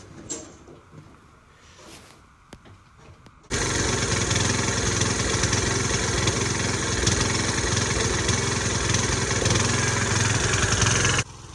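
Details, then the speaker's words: LT1500 (247.288820) riding mower after tune-up with deck reinstall, blade sharpening, oil, filter and spark plug change: blades engaged, steady even drone with no screech, knock or shaking; normal running. "Um, and I'm going to engage the mower and listen for any screeching or any vibrations. And it sounds pretty good. Every there's no shaking. Everything sounds fine."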